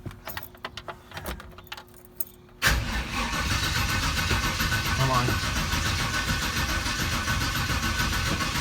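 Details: Dad's carbureted car, battery freshly charged, fuel pump on, first start attempt: steady cranking at about three and a half beats a second with no sputter or firing; engine won't catch.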